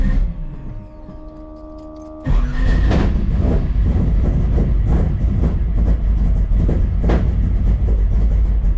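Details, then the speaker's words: 1979 Camaro 427 small block, big solid-roller cam (107 LSA), tunnel ram, Flowmaster FX mufflers with tailpipes, cold start: loud lumpy idle with uneven chop and exhaust pops; owner attributes bucking to rich, raw fuel intake; settles when warm. "you can hear it bucking and farting it's bit of a bear when it's [Music] cold"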